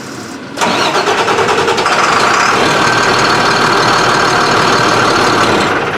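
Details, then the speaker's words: Beverage truck with DT466 diesel that starts hard after sitting overnight: cranks briefly, catches, then runs with an uneven, labouring beat, short of full power. Mechanic suspects fuel starvation from air in the fuel. Rough running after start. "and a couple times i've started it it starts but it's not running like it has full power it's like it's running out of"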